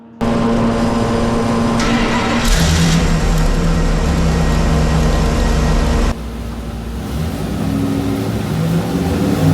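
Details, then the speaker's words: Numbers-matching Mopar 340 V8 on the dyno with an unspecified cam set straight up, pulled at full throttle toward 5,700 rpm: strong, even roar at a steady high pitch, then a clean drop as the throttle closes. Oil pressure good, no noise; healthy. "Sounds good. Oil pressure is good. Wow. At 57, we're still climbing."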